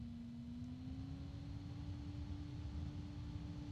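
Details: Super Flower MegaCool SF-PPF1 1221 three-phase, 12-pole case fan, switched by remote from low to medium speed. Soft even hum whose tone climbs slightly, then holds steady; smooth and healthy.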